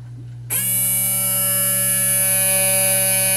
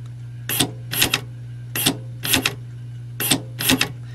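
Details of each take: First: Honda electric trunk latch actuator, removed for getting hung up or stuck; tiny hobbyist motor with drive gear fallen out now runs continuously, steady high buzzing whine of even pitch, spinning freely. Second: Removed Honda electric trunk release latch on the bench with 12 V applied to the correct terminal: short, sharp whirring bursts, often in pairs, over mains hum; the tiny motor and gear train run freely until it hits the stop.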